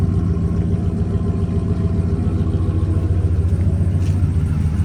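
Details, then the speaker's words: 1997 Dodge Ram Laramie SLT V8 after new spark plugs, plug wires, distributor cap and rotor: steady, even idle with a smooth low rumble, where before it would not start and sputtered; a slight squeak is likely from a pulley or the water pump. "So, yeah, it didn't start before and it was sputtering. Now, it sounds good."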